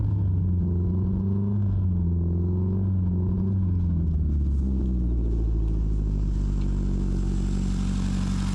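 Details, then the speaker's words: Carbureted police car engine abandoned 40 years after a crash, started after clearing the fuel hose: deep, even rumble at a stable idle with no misses, knocks or hunting. "Yes, it actually started up. The idle sounds stable too. Just listen to that engine roar."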